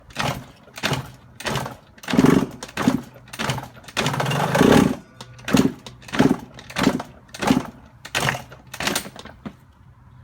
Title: 02 yz125 Loud Knocking Sound need help